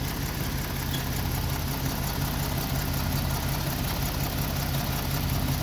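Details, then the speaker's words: Free Jeep with a new head gasket and new distributor cap but original wires: low, loping idle with uneven pulses and stumbles, exhaust runners at different temperatures; misfire at idle despite plenty of power when driven, cause unknown. "he's trying he just runs like crap i don't know what the deal is"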